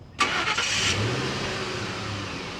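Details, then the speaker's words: Truck restarted after an earlier weak-battery concern: the starter catches instantly and the engine fires cleanly, settling into a steady, even run with no clicking; a healthy start. "But before that, let's see if the truck starts up again. Make sure the battery's not totally dead still."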